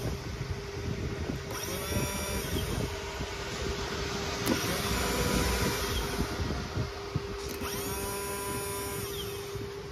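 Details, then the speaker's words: Royal Enfield Classic 350 self-starter motor, magnets re-glued with Araldite, bench-run after repair: several short whirring spin-ups with steady hum and clean run-down, no rubbing or scraping; runs smoothly like new. "দেখতে পেলেন মোটরটা এখন পুরোপুরি ready হয়ে গেছে, একদম নতুনের মতন কাজ করছে, কোনো সাউন্ড নেই, বাজে কোনো আওয়াজ নেই।"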